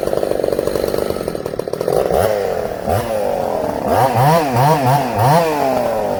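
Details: Ported Husqvarna 266SE chainsaw idling with chain brake on, weak coarse-thread 266 clutch: idle sags and bogs under drag, then picks up in quick blips; weak clutch loading the engine at idle.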